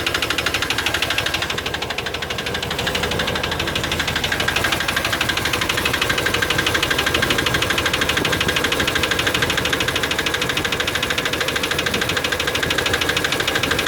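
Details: Chevy 350 5.7L V8 after intake manifold removal and gasket replacement: on restart, fast, fairly even top-end clicking about three a second over steady idle, attributed to low lubrication; valvetrain clicking at idle.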